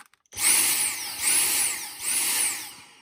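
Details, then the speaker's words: Dyson handheld stick vacuum, inlet covered by hand. High whine rises and sags in regular surges, about one every 0.8 s. Motor surging because the airflow is plugged somewhere inside and needs a deep clean. "then you probably run into a situation at some point where it starts to make a sound like this. Now that's usually an indicator that it's plugged up."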